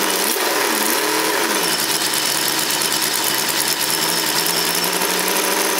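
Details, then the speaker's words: Chevrolet 350 V8 in an IROC-Z Camaro at idle around 1100 rpm: loud electric fan rush, idle sags as fan load comes on; owner suspects alternator, possibly battery, not confirmed. "So right now the electric fan is on. You can hear it actually pull down the engine quite a bit, so I think that either the alternator or the battery or both are going bad."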